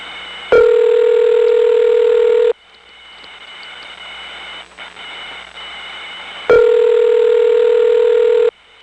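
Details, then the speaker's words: 1977 recording, Smyrna GA ESS T-carrier trunk to 75 West End ESS, early T-carrier sound from around 1969; ringback in two-second bursts over hissy, crackling line; heavy line noise. "Now, as to the 7s, everything in the 7s is on T-Carrier from the Smyrna ESS, so let's choose the worst example possible, which is an awful-sounding T-Carrier trunk to the 7.5 West End ESS. This illustrates the early sound of T-Carrier that started showing up around 1969."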